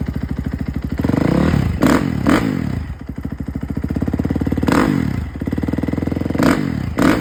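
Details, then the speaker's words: 2011 KTM 350, 40 hours on the hour meter, after a failed stator was replaced to cure a no-spark no-start: fires up promptly into a crisp single-cylinder idle, with clean throttle blips that return to a steady idle; runs properly. "but yeah, it runs pretty good now."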